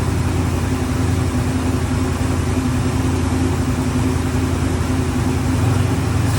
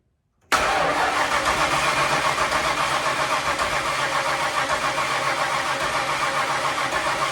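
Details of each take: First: Ford Bronco running after 11+ years sitting, two hours of work, on very old gas: deep steady rumble at fast idle, even, no knocks or misses; normal running. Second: Ford Bronco revived after sitting over 11 years, on premix poured into carburetor: harsh churning run about seven seconds then dies; cranks but won't stay running, owner suspects it's just out of gas.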